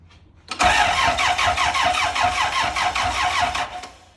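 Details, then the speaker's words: Car on axle stands, first test start after engine work, no alternator or auxiliary belt fitted: starter cranks steadily for about four seconds but the engine never fires; fuel pump not heard priming, so a fuel supply problem is suspected. "Go on in, just crank it for 4 seconds. Okay. I cannot hear the fuel pump priming when I'm in there. So it might not be getting fuel."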